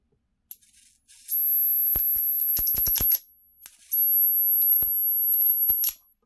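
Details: Flyback driver run from a 555 timer on an 11.1 V battery, 20–35 kV output, tested with a 0.0022 µF capacitor: a constant very high-pitched squeal with sizzling, snapping crackle in two bursts; arcing steadily, running acceptably.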